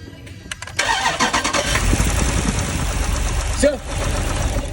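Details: 2012 Jeep Cherokee 6.4L V8 cranks briefly, catches, and settles into a rough, uneven idle from cylinder 2 misfiring.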